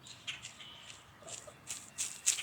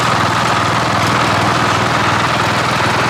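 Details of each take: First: Cub Cadet 1015 32-inch mower deck double pulley bearing, removed and turned by hand: uneven, gritty scratching instead of a smooth spin; second failure in two years, being replaced. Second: Cub Cadet 1015 32-inch mower deck after replacing double-pulley bearings with printed plastic spacers: even engine drone with steady blade whir at constant speed, no squeal or grinding from pulleys; deck running normally.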